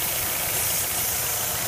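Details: 2004 or 2005 Nissan Altima stumbling at idle after the customer replaced the valve cover gasket: a steady idle under a loud continuous airy hiss. A vacuum leak near the valve cover is suspected.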